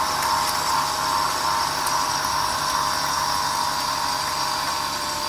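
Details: Infiniti G35 sedan project, day 3, sensors and intake tubes refitted, no radiator connected, just started: smooth, steady idle with faint belt whir, no ticks or knocks; normal idle.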